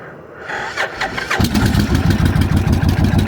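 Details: Motorcycle with modified Kawasaki Vulcan-type starter solenoid, owner suspects bad solenoid, jumping needle-nose hot; off choke, a few clicks then rapid uneven chugging about three beats a second, engine turns over but never catches: cranks, no start.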